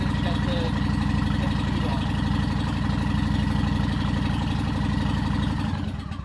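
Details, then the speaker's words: Honda Shadow V-twin with Cobra Boulevard drag pipes and Dynojet kit tuned to correct air-fuel ratio, started and idling: loud, even, loping beat about four per second through open pipes; healthy, smooth normal idle. "the how does that sounds absolutely gorgeous this by far my favorite part of bik the way it sounds the way it feels it performs beautifully"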